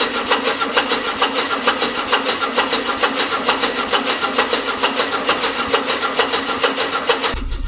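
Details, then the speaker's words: Classic carburettor car from a long-stored collection, choke on, new fuel pump: steady starter cranking about two beats a second that never catches. No fuel reaching the carb; pump not yet blamed, float bowl to be checked. "So, the steel don't have any any fuel at the carb, which could be fuel pump, but it is new, so I don't want to assume it's that."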